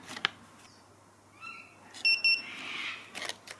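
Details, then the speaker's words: ViFLY Beacon lost-model alarm after being switched on by holding the button 2–5 seconds. It gives two short, sharp high-pitched beeps in quick succession, repeating continuously: the normal standby signal. "it'll continue giving that two beeps while it's on in standby mode"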